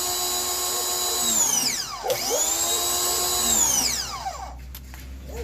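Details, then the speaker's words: Ryobi 2000 PSI electric pressure washer fitted with a different sprayer: steady high motor hum that keeps running without cutting out; problem solved, the original sprayer piece is clogged. "Let's try a different sprayer. Let's put this sprayer on. Problem solved."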